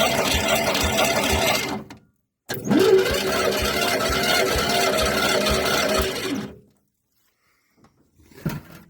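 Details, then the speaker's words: 1970.5 Ford Falcon freed after sitting 29 years in the woods with a stuck engine: two bursts of even starter cranking about two turns a second, no compression chuffs, spins freely and shows oil pressure; normal cranking. "looks like we got some oil pressure too"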